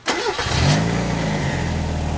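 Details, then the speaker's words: 1991 Mazda Miata MX5 after engine temperature sensor replacement and battery disconnect to clear code (9-flash engine light): quick crank, catches, flares, settles into smooth even cold idle; starts and runs healthy. "Perfect. Now she's cold right now, so she's idling just where she should be, and let it warm up, check for leaks, and it should be perfect."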